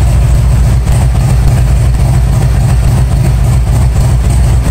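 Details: 1997 Harley-Davidson Road King Evolution V-twin first start after top-end and cam chest rebuild; deep, loping, steady idle beat with no knocks or ticks; healthy normal idle, pressure washer audible in background.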